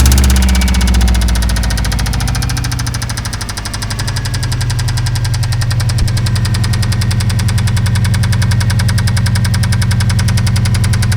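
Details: Subaru Impreza WRX boxer engine, boosted and knackered after hard driving, idling with a heavy regular knock about three and a half blows a second: rod knock, likely from running low-octane fuel with higher boost; needs a new engine.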